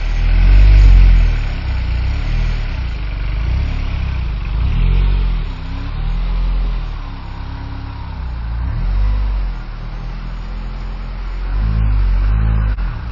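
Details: R56 Mini with big turbo fitted, running after subframe work: smooth rises and falls through a series of revs, settling cleanly each time with no ticking or stumbles; normal running, healthy.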